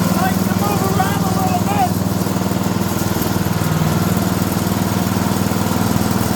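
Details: Older 5 hp Briggs & Stratton single on an abandoned chipper, revived with Deep Creep on the valves. Running with the air cleaner refitted after a restart on a little choke: a steady, even beat of about four pulses a second with no misses. Normal running.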